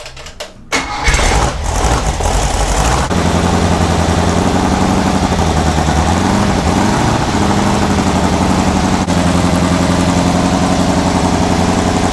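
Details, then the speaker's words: 1970 Trophy Car dune buggy, newly built 1776cc engine, first start before break-in: cranks, catches within a second, then settles into a fast, steady, even chugging with a rev blip; healthy. "We're fixing to light him off for the first time and get him broke in and make sure he's happy."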